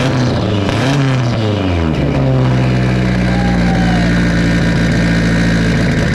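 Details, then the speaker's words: Big-turbo cammed Subaru boxer on first start after new headers, no intercooler piping and MAF unplugged, coolant dripping onto headers causing smoke: rough surging revs with hissy edge, big vacuum leak. "it got a lot of vacuum leak"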